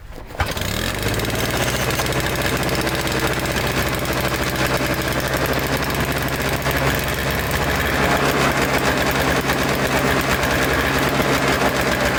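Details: Toro Snow Commander two-stroke snow thrower, fuel line reconnected with fresh fuel, choked and primed, catches and holds a steady buzzing idle without surging; later stalls when ignition switch wiggled, carburetor may still need cleaning.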